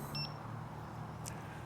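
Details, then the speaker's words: Mten Mini electric unicycle carrying an adult, battery bouncing between 20 and 30%: short, high electronic beeps about every second and a half over the riding hum and road noise. Low battery warning beeps. "can hear the beeps low battery beeps um it's bu bouncing between 30 and 20 so I I think that's that's a good time for me to uh head back right"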